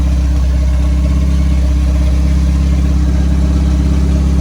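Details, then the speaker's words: Honda EF Civic project car with B20 engine, started during build while checking alternator charging: steady, deep, even engine note with no knocks or ticks; normal running. "Hell yeah. Thing's running good. Holy poop."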